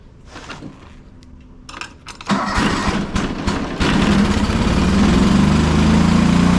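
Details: John Deere 425 riding mower, Kawasaki twin, bogging and dying under load; fuel verified good: catches after tries into a flat, weak drone with no power, running on one cylinder; misfire from failed ignition coil.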